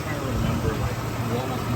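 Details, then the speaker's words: 2003 Nissan Xterra 4x4 idling after fuel injector work to fix a misfire: low even idle rumble, no stumble, no exhaust pop, engine no longer shaking where before it vibrated violently; normal idle after repair. "I don't hear the misfire. Look at this. Yeah, dude. She's like not shaking at all anymore."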